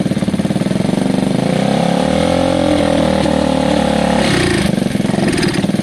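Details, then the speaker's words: Gilera DNA 125cc with upgraded carb, revved at part throttle without its airbox: note climbs and sags unevenly with a raw, hollow intake roar; rough revving because it needs intake restriction. "Because it needs its restriction, you see. It needs to have some restriction for it to be comfortable."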